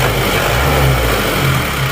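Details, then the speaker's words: Isuzu Panther diesel, heard from inside cabin after injection pump timing retarded to standard middle position: even, steady low idle with no harsh knocking; smooth diesel idle, power noticeably improved afterward. "Nah, dari dalam kabin suaranya sudah tidak ngerang-ngerang ya. Suaranya seperti ini, sudah menjadi lebih halus daripada tadi."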